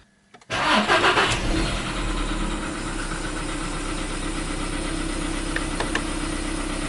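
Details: 2015 Volkswagen Polo Sedan, CFNA engine, cold start at 0 °C air temperature: the engine catches, flares briefly, then settles to a cold idle with a light, irregular ticking knock; cold-start knock, cause unknown.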